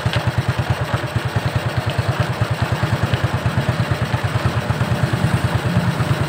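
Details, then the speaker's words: Suzuki Shogun 125 single-cylinder motorcycle at low idle: irregular knocking that comes and goes, worst at low rpm, unlike a steady rod knock; cause a loose nut rattling inside the clutch cover, no con-rod replacement needed. "Jika itu adalah bunyi ketukan batang piston, seharusnya bunyinya konsisten, kan? Oke. Namun, suaranya tidak teratur. Terkadang ada, terkadang tidak."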